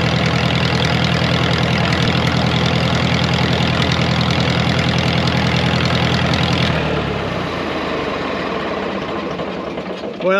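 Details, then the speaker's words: Ditch Witch R40, Wisconsin V4 engine, after converting points to Hot Spark electronic ignition with a new switch: even, steady idle; the tone settles lower as the distributor is moved to set timing without a timing light; timing sounds about right. "no timing light for now I know I'll get ripped on but well I'd say it sounds pretty good you can hear me moving it back and forth"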